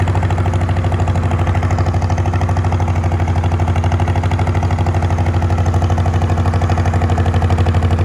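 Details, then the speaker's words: Old Farmall H tractor: low, slow chugging idle about three beats a second with faint unevenness, lacking power; owner suspects it is down on some cylinders, maybe bent pushrods or stuck valves. "It's idling now. Well, it does not have the power it should. I think it's down on some cylinders."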